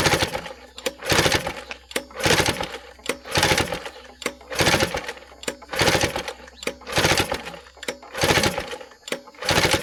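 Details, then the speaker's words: Vintage outboard, clean and barely used, choked and in neutral with shrouding still on: repeated rope pulls nearly once a second, each a rasping spin dying away with no firing; cranks but won't start, spark unchecked. "Yeah, I have a funny feeling she's not going to run."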